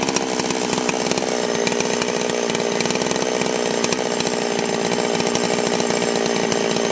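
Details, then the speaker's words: Holzfforma G660 Pro chainsaw, about 15 tanks through it, after an ignition timing advance and air filter baffle removal; screams at high revs with sharp popping and crackling as revs fall back on deceleration. "you hear how it's kind of popping and crack crackling as it's coming back down I think we hit"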